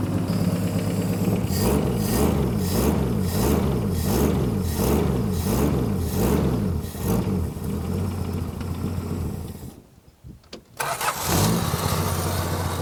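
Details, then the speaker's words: 1966 Plymouth Barracuda Formula S engine, revived after decades sitting; several blips then a slow lumpy idle sagging near stall; low idle, fix by increasing timing or turning idle screw up. "so we can either increase the timing or just turn the idol screw up and say good enough"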